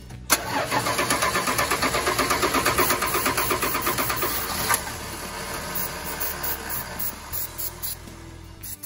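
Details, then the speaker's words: 1986 Dodge D150 Royal SE, 225ci six, new-old-stock carburetor, starting fluid tried: steady cranking near three beats a second that briefly sputters but never catches; fuel not reaching the bowl, stuck float needle and seat replaced with the old one. "we ended up putting the old needle and seed actually is in this piece right here which is kind of cool when you dump taking the old one off of the carburetor we knew was working and put it in there so the new one was stuck"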